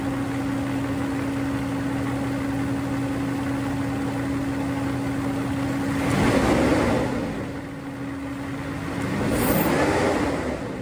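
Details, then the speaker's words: Mercedes-Benz W140 V12 M120 started with the air filters removed: smooth idle with a thin steady intake whistle, then two throttle blips; open intake hissing with no filters. "lors du montage de la vidéo je me suis aperçu qu'il y a un bruit différent sans filtre on entend le sifflement fin l'aspiration comme un sifflement écoutez bien"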